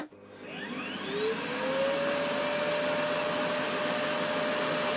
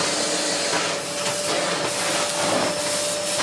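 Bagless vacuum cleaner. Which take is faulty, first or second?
first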